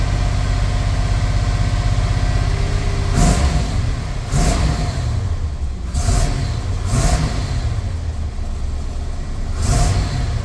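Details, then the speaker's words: Chevy square-body crew-cab dually with 454 V8, after O2 sensor replacement, warming up: deep idle with five quick clean throttle blips, no stumbling; more responsive without bogging down than before. "Wow. It seems a lot more responsive without bogging down."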